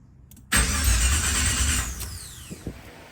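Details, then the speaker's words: 1987 Monte Carlo SS, first start attempt: starter churns about 1.5 s, never catches, no pump hum; crank no start, owner blames fuel pump not activating, gas smell noticed. "okay the car did not start I got to work on my wire because my fuel pump pump did not activate once I uh turned the switch on for the first time"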